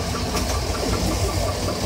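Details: 2007 Chevy Avalanche V8 at idle: a dull, rapid knock under the low, steady rumble. Cause undetermined, piston slap or carbon suspected; slightly muffled after decarbonizing, and the knock fades as the engine warms.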